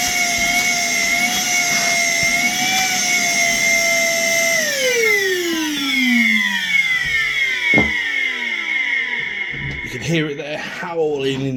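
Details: Worx WX031 brushless wet and dry vacuum: high, strained motor howl winding down in a falling whine; filter clogged with debris.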